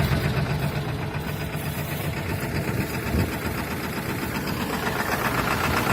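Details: Ford 7.3 Powerstroke diesel at -35°C after overnight block heater and glow plugs, third start attempt; cold idle rough and uneven with loose irregular knock over a heavy low rumble, misfiring. Owner suspects bad injectors, not confirmed.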